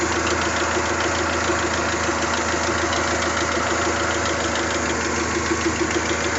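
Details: Toyota 3S-GTE engine at idle: light, fast ticking rattle over a steady idle, keeping time with engine speed; minor top-end tick, cause unclear.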